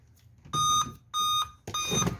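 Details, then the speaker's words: Dell 3421 Core i3 laptop, no display: repeated high-pitched beeps, suspected memory fault; 2GB RAM in two slots, shorted USB pin also found. "പക്ഷേ കണ്ടോ, ഇങ്ങനെ B പഠിച്ചുകൊണ്ടിരിക്കുകയാണ്. Memory issue ആയിരിക്കും തോന്നുന്നു."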